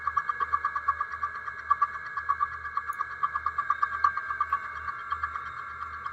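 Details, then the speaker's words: Milling machine at 200 RPM, feeding 2 inches per minute, 3/8 inch deep slot cut into new metal with the vise tightened: steady mid-pitched cutting tone pulsing at an uneven beat with mild chatter; acceptable vibration. "Okay, there you can hear the change. You can see the chips coming off. And there's the end of the cut. So I did get some vibration. It wasn't bad."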